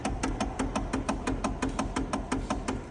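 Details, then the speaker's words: Kia electric power steering: rapid, regular sharp knocks, about six a second, when the wheel is turned or jerked back and forth; steering knock to be repaired. "Есть стук при вращении руля, также при дёргании"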